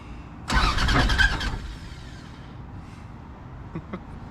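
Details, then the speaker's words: Plymouth Duster engine heard briefly: harsh, ragged cranking and firing that quickly dies; owner says it is not working right and sounds rough; abnormal engine noise, cause unknown. "yeah man not working anymore it's just self like man it sounds like me what i'm trying to hit it's just coming out weird and it's just not sounding good not at all it's it's a rough one i'll say that for sure yo my car's making a weird noise"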